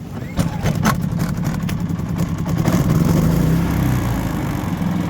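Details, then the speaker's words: A dumped generator found at the scrap pile, showing 568 hours, starts on the first pull and settles into a steady, even low hum with no stumbling, putting out 124 volts; runs normally. "and the damn thing runs it's got fuel in it it's got oil in it it was literally someone dumped it and it's putting out 124 volts"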